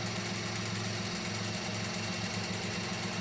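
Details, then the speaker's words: Mini Cooper during a spark plug change with the cover off: a light, quick rattle of about two taps per second over an even idle, like something loose inside. Lifters or a timing tensioner are suspected, not confirmed. "we think something's loose in here the way it sounds"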